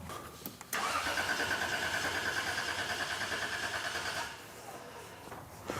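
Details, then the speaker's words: Cranking with the ignition igniter unplugged to kill spark on all cylinders while injectors still pulse, for a fuel rail pulse test: starter spins the engine at an even whirring rhythm about three seconds, nothing fires. Crank no start, no spark. "this is going to kill my spark for all the cylinders so i don't want to crank it for too long because we have the potential to flood out the engine but at least this way i will still have injection pulse i just won't have an ignition store source to make the engine actually start"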